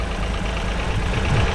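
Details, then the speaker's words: Vauxhall Corsa 1.0 Ecoflex after new valves, head gasket and timing chain: quiet, even idle with a steady low hum and no ticks or knocks, like a sewing machine, with slight exhaust blow underneath. "Like a little sewing machine. Quiet. Got a little blow from the exhaust down there."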